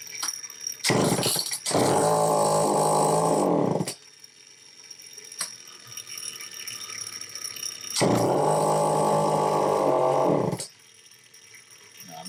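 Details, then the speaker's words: Homelite XL-903 chainsaw after fuel-system repairs (it was percolating fuel): it catches and holds a flat buzzing note about two seconds, then dies, twice. It runs only on full choke with no throttle response; the fuel filter was found partly out of the fuel. "That's running on full choke. Absolutely no throttle response."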